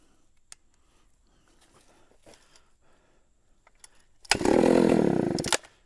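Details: 44-year-old vintage Husqvarna L65 chainsaw, pulled off the shelf after sitting two to three years, fresh oil and gas, restarted: clicks and handling, then a raspy, steady buzz for about a second before cutting off; normal start and run.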